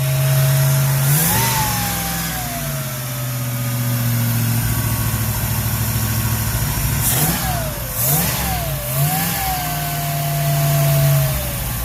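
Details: Ford Ranchero 351 Cleveland V8, running after 20 years off the road: surges and sags as throttle is worked, never settling to steady idle, stall-prone; blamed on a known vacuum leak.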